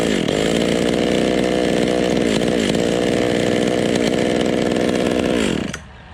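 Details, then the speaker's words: Vintage Stihl 020 top-handle chainsaw after plug wire replacement: screams steadily at high revs then cuts out abruptly, as if switched off; intermittent cutout, owner thinks it is not fuel-related. "See, you can hear it cutting out."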